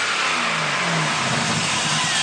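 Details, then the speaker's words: 5.3 LS V8 with over 200,000 miles in a 1967 Chevrolet Caprice, fresh Holley Terminator X install: strong, clean rev with steady intake hiss through the throttle body, no knocks or misses; healthy engine. "it's healthy, and that motor has more than 200,000 miles on it."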